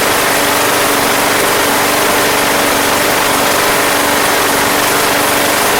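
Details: Craftsman Platinum lawn mower, Briggs 190cc engine, running after a no-start fix with a replacement carburetor: smooth, even buzzy run at steady speed, no surging or stumbling; gas was seen from the crankcase vent, yet it sounds healthy.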